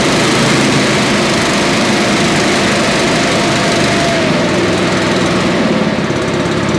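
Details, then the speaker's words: Billy Goat leaf blower, Briggs & Stratton 9.5 hp single found headed to scrap, sooty plug, low compression, slightly choked: steady even buzz at constant speed, no misses or knocks, running well. "think that's pretty awesome. It ran really good."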